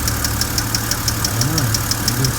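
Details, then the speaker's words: BMW N52 petrol engine at idle, lifter noise still present after the first fix attempt failed: crisp, even ticking about six per second over a steady idle. Hydraulic lifter tick, later quietened by hard revving. "i'm gonna walk to the engine and we're gonna go and see if this lifter noise is gone okay let's go and see nope it hasn't gone it's still lit so that hasn't worked it hasn't worked at all"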